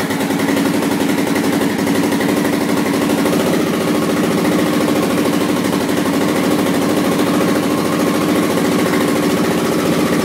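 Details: 1986 Honda XL600 single-cylinder at idle after new exhaust gaskets: a steady idle with a fast, sharp ticking puff on every firing. The owner suspects and hopes it is still an exhaust leak; the cause is unconfirmed.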